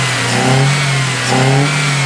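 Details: 2014 Ford Fiesta 1.0 Zetec Rocam, 88,284 km, after pistons replaced for piston slap and head work, oil light no longer on, warm with fan running: two clean throttle blips, revs rising and falling smoothly, no knock or rattle; normal revving.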